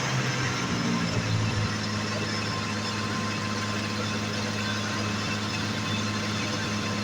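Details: 1986 Jaguar XJ6, unstarted for two years, finally running after no-start diagnosis: steady low drone with an even exhaust note, no knocks or misses; idling smoothly and healthy.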